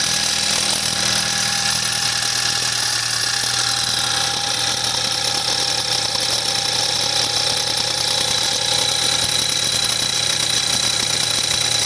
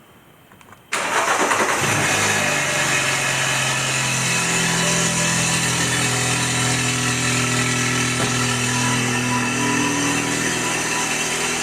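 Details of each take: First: 2014 BMW 320i (F30, N20 turbo) on a cold start, showing a drivetrain malfunction warning: a busy, tinny metallic rattle over the idle from the loose turbo wastegate, lessening as the engine warms; turbo rebuild planned. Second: BMW N20 320i, about 140–150k, Mitsubishi turbo rebuilt with new cartridge after wastegate rattle, with downpipe: cold start catches quickly, settles into loud even idle, no turbo rattle; normal cold start and idle, slight wastegate linkage and injector tick.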